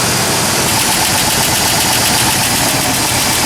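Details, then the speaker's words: 1997 Ford F150 4.2 L engine at cold idle around 30°F, two days after adding Marvel Mystery Oil for a lifter tick worse in cold; steady, even idle with no audible lifter tick: normal cold idle. "it's about 30° right now and uh still sounds pretty good now on the last video it sounded like there was a very slight tick from the lifter I can't make it out on uh when I'm recording so but it sounds great still"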